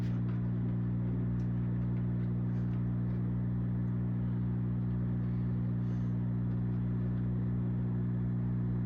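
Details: Zaxxon arcade cabinet after a monitor repair (neck board pin soldered): a constant low electrical hum with buzzy overtones persists, source unknown. The owner wonders whether added coin-door light bulbs are involved.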